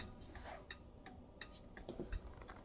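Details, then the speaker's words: 1951 Chevrolet Styleline Deluxe, signals rewired for 12 volts with new bulbs, recorded in the garage: crisp, even flasher clicks about every third of a second; flasher relay cycling normally. "sorry the garage is dirty I still got to organize you can hear that flasher"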